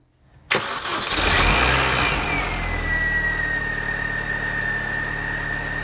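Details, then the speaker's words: 2005 Mini Cooper S at idle right after start-up: a loud, steady, high squeal that settles slightly lower and holds, a pretty serious squeak from the steering on the passenger side. "You may be able to hear there's a pretty serious squeak on the passenger side."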